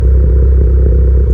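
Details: Tuned car with PRL SRI race MAF, PRL intercooler, 27Won downpipe/frontpipe, Greddy Supreme exhaust, codes P0300, P0301, P0304, at idle: deep exhaust rumble with irregular sharp pops; suspected misfires, unconfirmed.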